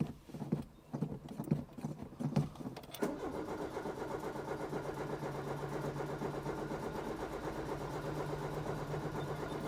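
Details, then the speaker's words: Peugeot 205 before plug change: uneven cranking about three seconds before catching to a low idle; hard starting, old spark plugs found with black crust (fouled). "ok well I understand better why it has a hard time starting I don't know if you'll see but we There's definitely a crust at the end of the candle, it's black"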